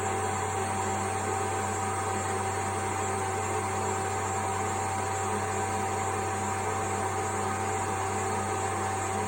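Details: A.O. Smith Cyclone Mxi BTH water heater starting up after the ignition cable and igniter were replaced: steady blower hum with a low even drone, no rough pulsing or misfire. Normal burner startup.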